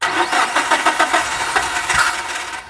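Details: MPV that starts but dies when throttle is forced, fuel pressure and filter being checked: revs come up rough and uneven with ragged, irregular firing, then die into silence; stalls when revved, cause suspected, not confirmed.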